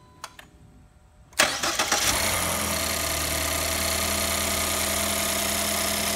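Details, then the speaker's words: Ford 1.5L GTDI EcoBoost four-cylinder (2014-2018 Escape/Fusion) just after spark plug replacement: brief crank, then even, smooth idle with no stumbles, all four cylinders firing, no misfires or installation errors. "as you can see all four cylinders are hdden just fine no misfires no installation errors and the engine's nice and smooth like that"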